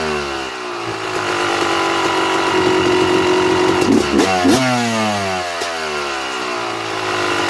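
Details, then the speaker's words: 2009 Yamaha YZ250 two-stroke: after air screw turned out another turn and a half, idle climbs and hangs higher than normal with a crisp buzz, sucking more air; lean high idle. "all right you hear the difference when the bike was idling a little higher than normal all i did was adjust the air screw i turned it out another full turn and a half and the idle was picking up"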